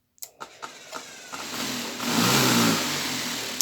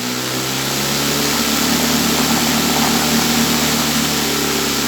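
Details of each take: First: Homemade sand vibratory tumbler driven by a sander motor on a variable-speed drive started near zero: a few soft knocks, then a rough low growl swelling as speed rises; motor labouring at very low speed. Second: Homemade vibratory/rotary sand tumbler (barrel cleaning parts) driven by a sander underneath; at very low speed the sander grumbles, then speed is raised slowly until sand rotates; steady even hum with sand rattle, no knocks — normal running.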